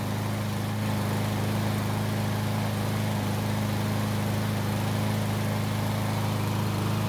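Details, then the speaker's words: Free Cub Cadet mower, used for months to mow the backyard before its later revving up-and-down problem after refueling: steady, even low drone holding one pitch under mowing load, no hunting or surging; normal running. "i took it home and to my surprise it started and i've been using it to mow my backyard ever since"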